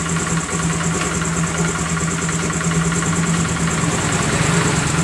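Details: Honda Grazia BS4 scooter after the front was opened and the noisy part cleaned and refitted: idles with an even, steady hum and no ticking or rattle; sound now smooth.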